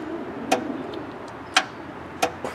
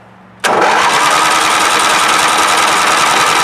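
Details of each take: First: Craftsman riding tractor: single sharp clicks about a second apart when the key is turned, no cranking; starter never engages, faulty starter solenoid. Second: Craftsman riding tractor that only clicked and wouldn't start, after starter solenoid tested and replaced: engine catches immediately and keeps an even steady beat with no misses; healthy start and run.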